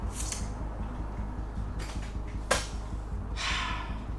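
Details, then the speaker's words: BMW E36 328i, 2.8 L six-cylinder, abandoned seven years, with new battery and six new spark plugs: starter churns steadily with no catch and no fuel pump hum, gauge reads no fuel. Cranks but won't start; failed fuel pump. "If you look at the dashboard, the ignition's on and it's reading that it's got no fuel at all. If I turn the ignition off and you listen behind my head, I can't hear a fuel pump."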